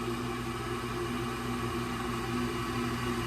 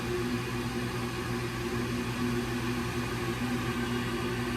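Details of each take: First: Old Rheem condensing gas furnace, no-heat call: with a jumper on, the draft inducer motor runs with a steady whirring hum but no burner lights; suspected cracked OEM hot surface ignitor, later confirmed failed after under three heating seasons. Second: Old Rheem condensing gas furnace with no-heat complaint: after the hot surface igniter glows cherry red, the gas valve opens and gas flows; steady even inducer-fan whir with faint hum, no rattles. Normal ignition sequence, fault was a failed replacement igniter.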